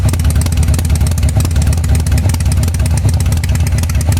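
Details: 1985 Harley-Davidson Sportster V-twin at idle: uneven, lumpy idle with stumbling, skipped pulses about three a second; the rear cylinder is misfiring.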